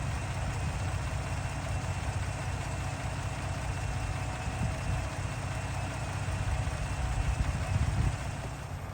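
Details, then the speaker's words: 2018 lifted Ford EcoBoost truck idling after an oil change with PROLUBE oil treatment, about 10–15 minutes run time, after cam phaser replacement failed to cure it: low, quiet, even idle, the sewing-machine rattle and tick gone, roughly 38–39 dB on a meter. "I absolutely cannot believe this it is super quiet that is amazing I cannot believe that the rattle is actually gone"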